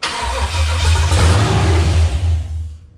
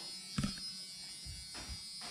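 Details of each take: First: C10 truck with LS swap, first start attempt after priming the fuel pump: rough uneven cranking chuffs with a few firing pulses that never catch, then winds down; turns over and gets fire but won't run. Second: LS-swapped Chevrolet C10 truck before first start: key click then a faint, steady high electric buzz for a couple of seconds as the fuel pumps prime, tank still without gas. Normal fuel pump prime.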